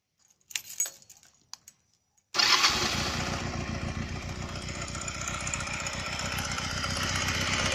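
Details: Honda Rebel 125, noise began right after a cylinder and piston change; owner suspects a loose cam chain and hopes it's not the pistons: idle with a fast, light top-end clatter over the beat; abnormal engine noise, cause unconfirmed.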